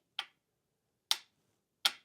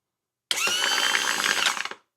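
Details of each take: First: MerCruiser trim pump assembly bench-tested: up direction gives three sharp solenoid clicks with no motor running; solenoid powered and working but possibly corroded contacts; down direction works. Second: Trim pump from a '96 Bayliner MerCruiser, bench-tested on a battery after solenoid replacement; steady, even electric motor whine, starting and stopping cleanly; normal trim pump motor run in both directions, with fluid pumping out.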